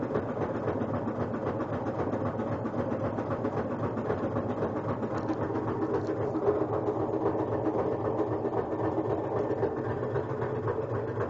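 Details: Kenmore front-load washer on spin cycle: uneven rhythmic knocking and rubbing about twice a second over motor hum, as if hitting something or belt touching; cycle completes fine, no objects inside; cause unknown.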